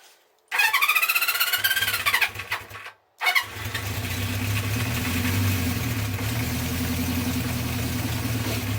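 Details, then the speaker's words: 1974 Honda CB350 Four, carbs drained, started without choke: the starter whirs, then the engine settles into a lumpy, uneven idle, little improved; classic blocked pilot jet symptoms. "Not much different at the moment."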